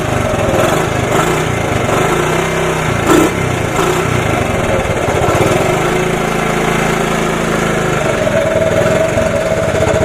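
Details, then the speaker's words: 1983 Honda ATC 70 single-cylinder after sitting over 10 years, carb rebuilt, blue spark, started on starting fluid with choke: putters at a steady idle with a quick, even beat and no knocks; runs fine. "actually it sounds pretty good I just assume not not race it too much but not not bad not bad"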